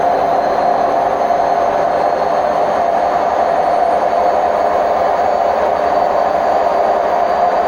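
A loud, constant roar with a rumbling ring carries through the whole spin; this is typical of worn drum bearings.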